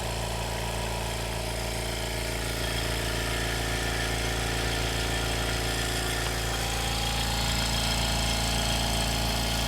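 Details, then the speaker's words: Air compressor powered by a BLUETTI Elite 200 portable power station (2,600 W) runs normally: a steady, regular pumping thump about three per second with an even motor hum, no knocking or screeching. "It's working, guys. Sounds like it normally does."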